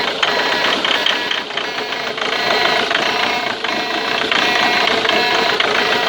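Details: Ford Mondeo Mk3 TDCi diesel at idle: a fast, uneven tick of about four a second through the clatter, apparently from the injector area. Cause unknown.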